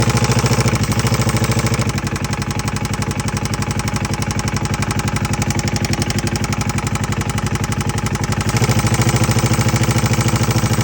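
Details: 2011 Polaris RZR 900: steady, even knock at idle, roughly a hundred a minute, keeping time with the engine. Timing chain or valve suspected, not confirmed.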